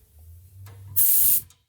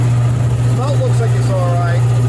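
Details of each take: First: Old Worthington shop air compressor: short sharp burst of high air hiss under half a second, then quiet; over-pressure relief valve leaking, worked up and down and turned to reseat until the leak stopped. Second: Old air compressor after servicing (pump lubed, head bolts checked tight, makeshift air filter cleaned): steady, even motor hum with no belt slapping or knocking; runs smoother and sounds healthier.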